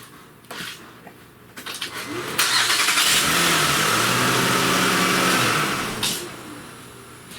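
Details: 2007 Honda Pilot started briefly after a timing belt replacement, on a weak battery helped by a maintainer and with no coolant in it: a few cranks, then it catches cleanly, revs up and runs smoothly before shutting off; healthy start.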